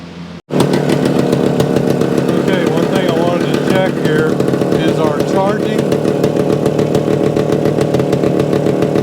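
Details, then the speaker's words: 1975 Suzuki TS-250 two-stroke, running after stator rewire and coil ground repair, exact cause unsure; idle set a little over base. Crisp, even ring-ding popping at slightly raised idle, steady, no misses; healthy idle, owner happy with it. "at an idle a little over aisle yeah I think that's good I think we can live with that"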